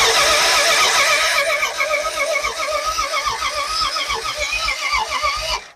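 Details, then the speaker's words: Car off the road for 40 years cranks steadily at about 3.5 turns per second with no firing: no spark because the distributor does not rotate, as its plastic drive gear is sheared. "I turned the motor over and we had zero rotation in the distributor so I pulled the distributor out and the plastic gear is sheared off so we have issues"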